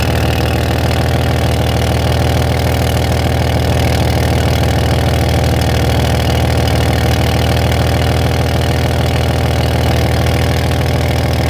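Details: Van at steady low idle, faint fairly regular puffing pulse from an exhaust leak at the catalytic converter, located with a straw test.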